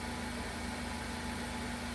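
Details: 2015 Ford Focus 2.0L idling after serpentine belt failure repair, new tensioner and drive belt fitted, battery trickle-charged overnight: smooth steady idle, faint even hum, no squeal, chirp or rattle from belt drive; low-voltage fault codes stored from running without alternator.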